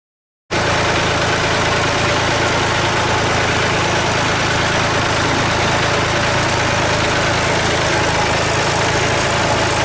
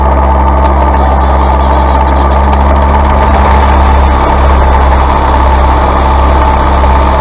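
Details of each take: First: Massey Ferguson 135 diesel, after a slow crank on a weak starter with a sticking solenoid: it caught and idles with a steady, even clatter and no misses. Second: Massey Ferguson 135 diesel tractor after fitting a new Lucas starter (old one failed despite repair): steady diesel clatter at even idle, no misses or knocks, speed holding constant; running normally.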